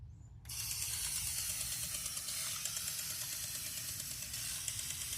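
A hissing spray with rapid, slightly uneven clicks, roughly three a second, is the valve cycling as the sprinkler runs normally.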